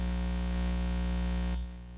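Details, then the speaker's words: Ham radio receiver indoors with a loop antenna right next to the radio, tuned for lowest SWR: steady low buzz with stacked overtones as RF noise comes in near resonance, then it drops away suddenly. "keep in mind we're inside a home using a loop antenna right next to the radio you're going to start to hear the rf come in with a buzzing hear"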